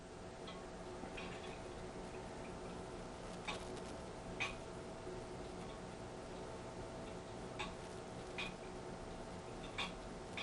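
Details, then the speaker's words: Antique grandfather clock with crutch rod deliberately bent: faint ticks in lopsided pairs, tick and tock crowded to one side of the swing then a long wait; extreme out-of-beat condition. "that's an extreme example of something being out of beat. Both the tick and the tock happen towards my side of the swing."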